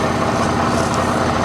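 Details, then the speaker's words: Supercharged Jaguar XJR V8 idling, just started with temperature still coming up: slightly uneven, lumpy rough idle from a broken supercharger boot letting air in past the mass airflow sensor; intake air leak. "tk found a broken boot on the supercharger here right there look at that just sucking in air past the mass airflow sensor"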